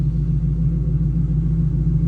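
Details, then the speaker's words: 2010 Mustang GT 3V with ON3 turbo kit, cold start-up idle while the turbo gets lubricated: an even V8 burble with no knocks, misses or turbo noise. Runs clean and healthy. "See, fires right up. Sounds good. That turbo get good and lubricated, and then I'll rev on it a little bit for you guys."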